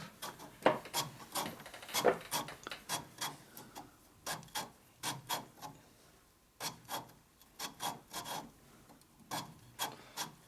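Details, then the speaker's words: 1942 Harley WLA/WLC 45ci transmission rebuild, lapping a binding spot with compound: rhythmic dry rasping strokes, about two a second, in short bursts with pauses; gritty scrape of a high spot being ground down. "You can hear it in there, can't you? Sure, grinding away."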